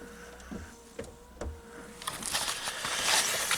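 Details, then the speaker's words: VW Golf 5 power window: the motor hums with sharp clicks, then a gritty crunching at the roller as the worn regulator cable goes; fix is a regulator repair kit or full regulator replacement. "сім'є дальше тут несправність тросику зразу кажу чуєте хрустить це на самому ролику пішлов торосик"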